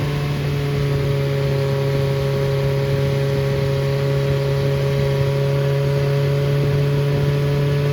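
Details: Freshly rebuilt Triumph Spitfire 1300 (1296cc) engine from a 1972 Spitfire, 270 cam, head shaved to about 8.5:1, balanced, run at raised speed: even steady drone, constant pitch, no knocks or misses; runs well, good oil pressure, compression 137–140 all cylinders.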